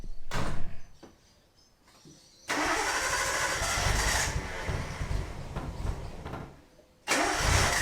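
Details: Nissan R32 after HICAS removal and fitting new parts, first start with fluids refilled: the engine catches after a short crank and settles into an even, steady idle with no knocks or misses; starts and runs healthy.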